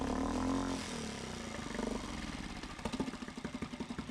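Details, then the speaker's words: Mariner 3.5 HP four-stroke outboard after oil, spark plug and impeller service, running in a water bucket test stand: even steady putter, no stumbling; it doesn't stall or stop, running without problems. "Pero bien, bien, perfecto, Però bé, sense problema. sin problema. No se cala. No es para."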